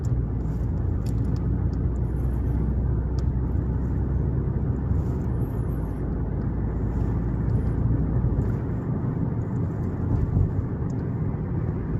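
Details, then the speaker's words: 2020 Toyota Avalon driving at about 30 to 40 km/h after reinstalling the intake manifold vacuum hose and removing a bracket: steady low engine and road drone, no rattling or buzzing, rattle gone. "but now not uh coming the noise"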